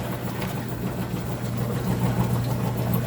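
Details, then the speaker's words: Frigidaire top-load washer that smelled of smoke and screeched on spin, worn belt suspected: low even hum with gentle back-and-forth churn, no scraping or knocking during agitation; normal agitation. "so i went ahead and put it into an agitation and it sounds great"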